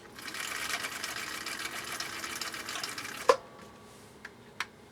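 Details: 1959 Husqvarna Viking CI-21A sewing machine straight-stitching tricky bubble-gum-style material: quick, even needle clatter for about three seconds, then stops cleanly; normal, healthy operation.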